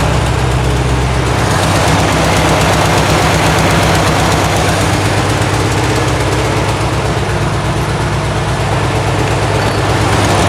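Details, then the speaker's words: 1972 VW Karmann Ghia, air-cooled carbureted engine, first run after sitting for many years, choke just adjusted: a loud, lumpy low idle at about three pulses a second; a little jumpy with the valves not yet done, cause unconfirmed. "half sounds good it's a little jumpy we haven't done any valves or anything"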